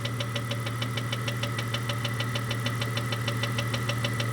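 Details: 1998 Jeep Cherokee XJ 4.0L, noise appeared overnight, persists after lifters replaced; sharp regular ticking about three times a second over steady idle, rising with revs, not changing with load; owner suspects cam-related top-end tick, not rod knock or piston slap, unconfirmed.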